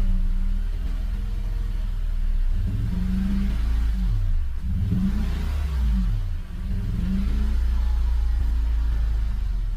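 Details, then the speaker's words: 2016 Toyota Tacoma V6 with check engine light, codes P0300 random misfire and cylinder 5 misfire, codes just cleared: revs up and settles into a rough, uneven low beat with heavy shaking; spark plugs later found burnt or oily. "Sí se siente muy temblorina."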